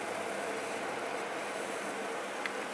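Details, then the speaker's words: EVGA RTX 2060 Black Gaming graphics card under in-game load on its default fan profile: loud steady fan rush with a faint electrical buzz of coil whine from sizzling capacitors. "alors en plein jeu par contre déjà le profil de base choisie par un vga et particulièrement bruyants et comme un casse à ventilateur et ça s'entend beaucoup et en plus vous allez entendre du col du wild donc le grésillement que vous entendez là"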